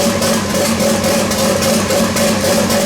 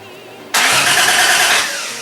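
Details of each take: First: Toyota Supra with a 1JZ swap, first start after eight and a half months of work: engine catches and runs, revving steadily with light valvetrain clatter; oil leaks and smokes from the turbo oil fittings. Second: Toyota Supra with a 1JZ engine swap, first crank on a battery with the fuel pump still unplugged: the starter spins the engine hard with a steady whir but it never fires. Cranking no start from no fuel supply.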